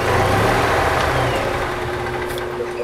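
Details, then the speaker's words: Gas EZGO TXT golf cart (1996 or 1999), start after tightening the starter generator belt: engine starts and settles into a steady, even putter with no metallic clanging. Normal start. "That starter generator belt's tighter. See how it starts now."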